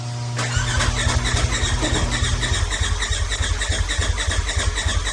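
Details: Turbo S UTV with big turbo, head studs and new injectors, after a tune update: steady starter cranking about three and a half beats a second, never fires; owner suspects fuel pump wired backwards and wrong injector scaling.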